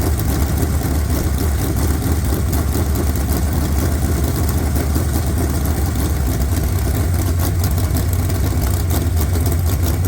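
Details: Fresh 383 V8 for a 1970 Camaro with big hydraulic roller cam (294/296 intake, 304/306 exhaust), about 11:1 compression, aluminum heads, 750 dual-pumper carb: deep, loping, steady uneven idle rumble; running cleanly and holding speed.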